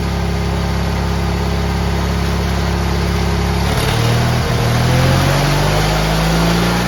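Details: GT18 garden tractor, carburetor refitted and repairs done, air cleaner still off: even part-throttle running that pulls up smoothly as throttle opens, no stumbling; previously it flooded and chuffed smoke past half throttle once warm.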